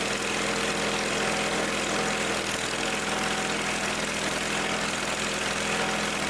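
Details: Simplicity garden tractor after the no-start fix: a leaky fitting, possibly with Teflon tape that got inside, was tightened. The small engine idles evenly and steadily with no misses, surging or hunting, running smooth and settled.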